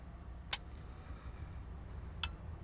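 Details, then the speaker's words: Marantz 2500 receiver at power-on during restoration, on a dim bulb tester; sharp soft-start relay click a moment after power-on, then a softer click over quiet hum, bulb dimming as the big caps charge, normal soft start. "the thing that we're listening for is that click of the soft start and we also want to see the dim bulb dim way down after the big caps charge up"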